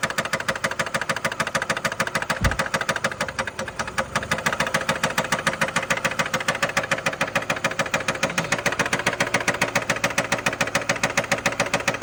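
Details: 2012 Nissan Altima 2.5 L at idle: a sharp, busy ticking knock rides over the idle at roughly three per second; a lower-end knock, owner suspects a connecting rod bearing, not confirmed.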